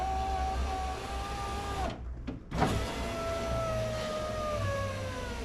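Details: 2005 Jeep Liberty KJ passenger front window after new regulator install; steady electric motor whine that sags in pitch near the bottom of travel, still slow at the bottom; regulator binding, long bolt possibly interfering.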